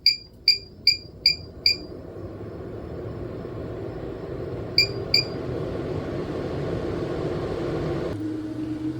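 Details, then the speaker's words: Maxxair Deluxe RV roof fan after circuit board and motor replacement, blade reinstalled: a few control beeps then a soft even fan hum building smoothly with no squeak or chirp; healthy fan motor. "I'm just checking for that squeaking. No squeaking, so it seems all good."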